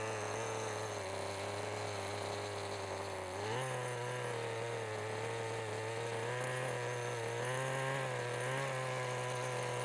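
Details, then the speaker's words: 1988 Kyosho Ford RS-200 RC car with OS Max 10 FP-B nitro engine, second startup since restoration, pull starter spring weakening: fires up easily, steady high idle buzz picking up cleanly on throttle blips; runs healthy, normal running. "and just like that it fires up super easy and it sounds great too"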